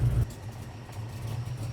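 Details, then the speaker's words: LS-swapped Camaro after about 3 months sitting, on flat tires, started and briefly warmed: low, lumpy idle that sags and wavers unevenly as if about to stall; barely running, touchy. "All right, let's see if we can get this thing in the garage. It's barely even running, right?"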